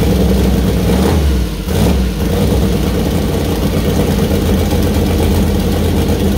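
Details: First start-up of new 2000+hp LS (Dart LS Next block, 4in stroke, Brodix BR3 heads, .750 lift solid roller cam): deep even idle, clean rev picking up and settling smoothly, no knocks or misses; healthy V8.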